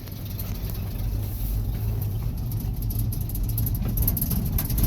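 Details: 1965 Ford F100 V8 after fiddling with the choke: low, steady burble that evens out and gains a little as it warms, no knocks or misses; healthy idle with choke fully open, not fully warmed up.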